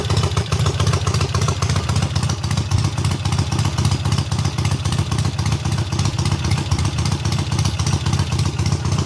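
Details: Triumph hardtail restarted after its first start, engine having sat on the workbench almost a year; clutch not yet disengaging fully: loud steady thumping exhaust at a fast even idle, about four beats a second, firing cleanly; runs well.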